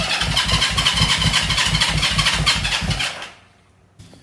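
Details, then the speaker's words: 1970 Honda CL350 that sat 42 years, cranking: lumpy cranking that almost fires, then dies; both ignition points were found slightly out of time. "it sounded like I wanted to start but it kind of sounds like it was slightly out of time"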